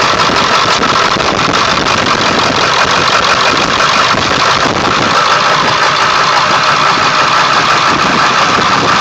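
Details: 1999 Ford F350 7.3L diesel, cold start after sitting for days, plugged in overnight, no check-engine light: loud, uneven coarse shaky clatter with no steady beat; rough cold idle that disappears after restart; cause unknown.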